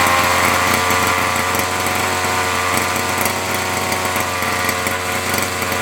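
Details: Nitro RC car engine after fitting a replacement glow plug, little priming: high buzzy two-stroke scream at fairly steady pitch with slight wavering; running properly.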